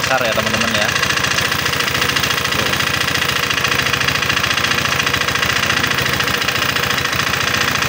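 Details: Honda PCX 150 scooter idling with the tensioner adjuster cap bolt removed. Still rough, with harsh, fast metallic knocking of 3–4 per second; a weakening tensioner is suspected, not confirmed. Finding: piston slap from scored piston.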